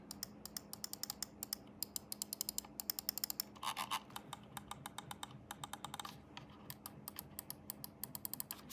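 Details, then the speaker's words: Logitech G303 Shroud edition mouse, main buttons clicked: crisp, light, quick clicks, dry and not harsh, in a quiet room; normal, fairly quiet switches. "if you grip a mouse at the very front like I mentioned they actually feel very very good the mouse isn't too loud either here's a click"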